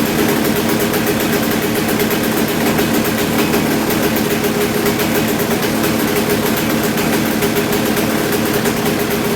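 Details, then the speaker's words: Kawasaki KX250 two-stroke just rebuilt, started in 4–5 kicks without choke and no longer bogging, during carb tuning with a plastic idle screw: it idles high and buzzy with revs hanging up; the idle seems to run away, adjustment seems to do little, cause unclear. "sound like I run away I don't know really it almost sounds like there's not a lot of adjustment to be had"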